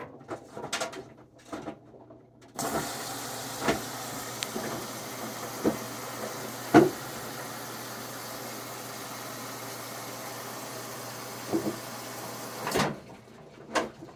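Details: Whirlpool front-load washer WFW92HEFC0, top removed: steady motor hum with a few dull, irregular thumps, most clearly as the drum stops rotating; knocking cause unknown.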